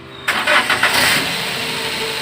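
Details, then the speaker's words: Daihatsu Gran Max petrol engine, previously hard-starting with P0303 misfire, after drying the coil and cleaning water from the spark plugs: cranks briefly, catches at once and idles smoothly while still very cold. "Alhamdulillah berhasil ya teman-teman suara halus tapi di sini ada nih sensor engine nyala ya ini baru nyala nih temperaturnya Masih dingin banget"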